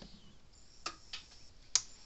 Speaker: there it goes. Hear it clicking. So it is a bad diode.